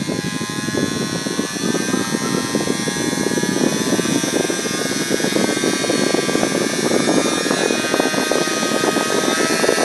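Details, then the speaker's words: 3D-printed mini turbine with tiny RC helicopter motor cranked to 3 volts: high-speed whir with coarse rattling buzz over steady whine; just vibration of the printed turbine, quieter when held. "doesn't sound as bad if I hold on to that noise it's just big vibrating"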